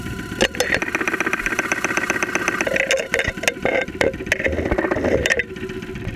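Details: 2001 Saturn SL2 run with very low oil and unused for two months, heard through a stethoscope microphone at idle with 35-40 psi oil pressure: loud, uneven tapping knocks about four a second over the idle. Internal wear suspected, not confirmed.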